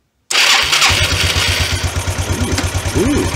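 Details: 1993 Yamaha Riva 125 (Beluga) scooter after replacing a bad carburetor with a cheap GY6-type carb, fuel primed with a vacuum pump: cranks and catches right away, then settles into a steady, even putter with no stumbling. Normal start and idle.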